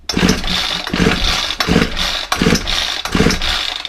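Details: Ryobi 4-stroke trimmer on a freezing morning, choked and primed: six quick recoil pulls, about one every two-thirds of a second, each spinning the engine briefly with no firing; cranks but won't start.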